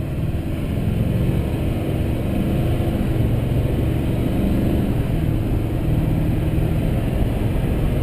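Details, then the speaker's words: 2005 GMC Sierra 2500HD Duramax diesel with new 4-inch Corsa/Jamo/FTE exhaust and resonator, recorded in cab on road under throttle: deep steady rumble with turbo audible, little drone. Finding: normal diesel acceleration. "again I don't think that's too bad so that's an onroad test with in Cabin test with the exhaust"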